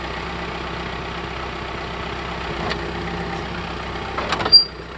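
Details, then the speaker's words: John Deere 4052R tractor with H180 front loader idling, then a brief sharp shrill squeak when the bucket is pressed down to lift the front end. Metal-on-metal rubbing at the loader, noticed for about a year. "So as you can see, it only happens whenever I'm putting downward pressure on the loader bucket to lift the front end off the ground."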